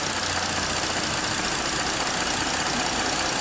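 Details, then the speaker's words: 2014 Ford Explorer 3.5L after pulsing the bank 2 exhaust oil control valve freed the stuck phaser (IDS VCT exhaust actual 0.1 to 0.3 degrees): steady idle with an even hiss, no stumble or knock; running fine, still needs a new oil control valve. "So it's running fine now. That was a quick, simple diagnosis."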